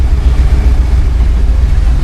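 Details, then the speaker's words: 1966 Ford Early Bronco Saginaw power steering gear just rebuilt, bleeding air: deep uneven low grumble while turning at low speed; owner unsure whether pump or gear, gear looked bad inside; noise seems better than before. "that's where get it noise I mean could be the pump I don't know or the freaking gear"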